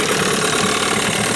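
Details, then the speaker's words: New Hangkai 9.8 outboard during break-in in a barrel, cold weather, after setting plug gaps to 0.8 mm and moving the CDI ground to the engine block to cure one cylinder flooding: steady, even buzz, no stumbles; idles smoothly. "Сейчас работает ровно и безупречно."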